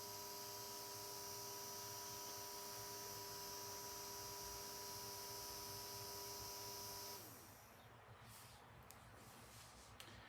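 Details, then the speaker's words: Brushed DC fan motor driven by Arduino Uno PWM through an H-bridge: soft steady high-pitched tone over the low-speed hum, changing between full and low speed; normal sound of PWM drive. "there's actually kind of a a soft tone coming from the motor when the pwm is engaged if you turn it up all the way you can hear the difference so there it is up at full speed and here it is at low speed"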